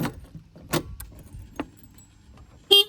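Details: Honda Activa 6G scooter horn tested after a battery replacement, since a weak horn was a symptom of the old battery. A few switch clicks, then one short, strong toot with a clear steady note: normal horn.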